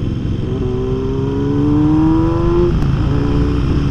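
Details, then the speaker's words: Kawasaki Z900RS inline-four with swapped exhaust, untuned, riding and downshifting: revs rise then drop through the gears with sharp crackling pops on overrun. "let's see as we flip it down the gears [Music] all those pops and crackles that's nice yeah"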